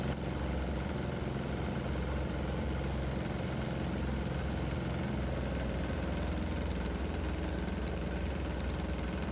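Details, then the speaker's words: 196cc 3hp diesel during warm-up under load, vaporizer bucket disconnected, hot ambient: deep steady thump, a little choppy in its beat; owner says that's normal for this engine. "Yep, the engine sounds a little choppy with a load on it, but that's normal for this engine."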